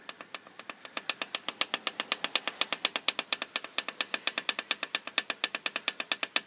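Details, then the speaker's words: KTM two-stroke off idle: sharp, even clacking about eight times a second from a loose power valve with play; noise stops when revved as the valve opens; worsened progressively. "this power valve does seem to be loose as well so it's going to have some plan it of course and if you listen see if I get a bit of that's kind of the noise you're hearing off idle"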